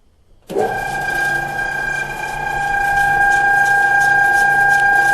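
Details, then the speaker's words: Harbor Freight Central Machinery 14-inch woodworking band saw running after basic blade guide and bearing adjustment top and bottom; steady even hum, clean high tone, no flutter, blade tracking smoothly; runs much better. "so you can see now that it's adjusted if i wiggle the blade much better should run well"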